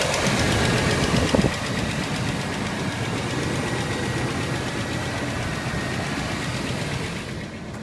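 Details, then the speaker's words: 1992 Buick Roadmaster wagon, 5.7 V8, 195,000 miles, cold start at idle: slightly rough with a quick steady tick about four per second over the exhaust; exhaust leak suspected despite a replaced manifold gasket, lifters also questioned; oil pressure good. "when you're driving the car you know and of course it has a load on the engine the ticking the chugging sound is just so apparent and it's awful at driving"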